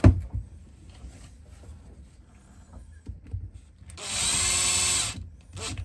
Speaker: Feels good. Sounds good. And she holds a pad nicely. That's great.